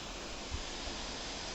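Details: Lenovo Legion laptop propped up slightly at the back with its ventilation holes left unblocked: steady, even rush of fan air with no ticking, rattling or pitch swings; the fans breathe freely and sound healthy.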